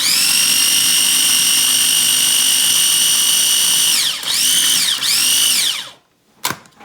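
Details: Cuisinart Mini Prep food processor after clearing food from under the blade and reseating the lid held fully down: a high steady motor whine for about six seconds with two brief speed dips, then a clean stop. It runs normally.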